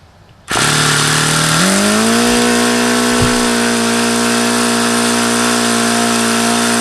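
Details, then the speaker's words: HP VT 21 rotary-valve four-stroke model engine on Omega control line fuel, primed with throttle closed: catches, then climbs and holds a steady high buzz, won't idle down despite an hour leaning the low-speed needle and trying plugs. "I took this out yesterday and I started trying to run it and again it just will not idle down and run at idle"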